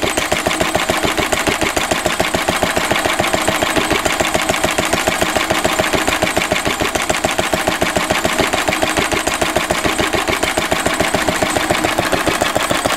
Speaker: let's listen to the list of d running 80 years old still doing well and hopefully we'll go on and do another 80 years